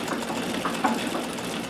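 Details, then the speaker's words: 1959 Brother Flairmatic sewing machine on a treadle with straight stitch plate: quiet even whirring with soft steady patter, no knocks or rubs, camera mic amplifies it; normal running. "So it goes very well. Brilliantly quiet. The microphone on my camera does amplify it."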